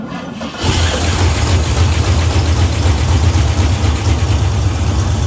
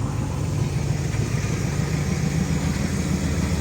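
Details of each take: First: 1970 Pontiac LeMans parked 30 years, cranked after an oil change: it turns over with a steady drone for several seconds but never catches. No fuel is reaching the carburetor. No-start from fuel starvation. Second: 1970 Pontiac LeMans four-door, revived after 30 years parked: deep steady even idle rumble, no misses, knocks or ticks; owner says it runs too good, normal idle.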